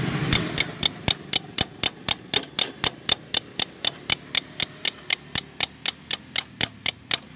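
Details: Honda carbureted scooter (Beat/Vario-type); key on, brake held, starter pressed: sharp, even clicks about four per second with no cranking; weak or faulty CDI's internal starter relay cuts the starter ground too early, chattering.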